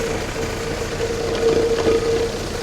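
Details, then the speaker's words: 1966 Jeep CJ5 started on a jump box with a low battery: rough steady idle with a faint on-and-off whine above it; unidentified noise, owner suspects the water pump but is unsure. "Never figured out what this noise is. I think it's the water pump, but"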